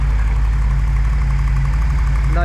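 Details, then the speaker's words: E28 BMW M5 after engine rebuild, coolant bled, warming up until the fans kick in: smooth, even low idle with a steady beat and no knocks or misses; running absolutely sweet, normal idle. "problems running absolutely sweet coolant it's all bled up let this run up Let the fans kick in"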